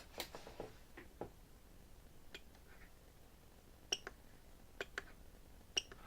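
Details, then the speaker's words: E-Flite Apprentice S 15e RTF electric RC plane transmitter check: soft trim clicks with a distinct higher beep twice near the end marking centre; the trims are confirmed back at centre position. "We can also, if you haven't done it before, you can listen very carefully and make sure all these trims are in the center position."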